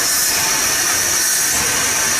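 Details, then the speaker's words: 1978 Dodge D100 truck, first run after sitting almost 20 years, rough idle while distributor adjusted: loud steady airy hiss over engine; suspected vacuum leak near carburetor, vacuum hose or distributor, unconfirmed. "i can hear air coming out of something down here probably something on the carburetor there's a vacuum hose back here unless it's the distributor"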